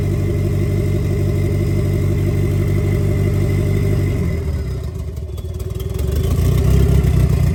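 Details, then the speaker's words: 1990 Mitsubishi Eclipse GSX, first start after intake manifold refit and top-end reassembly: steady low idle with even beat, then short rev blip settling back; engine running normally. "Oh man, that's super exciting. Okay, so at least we got that out. We know the engine runs and everything."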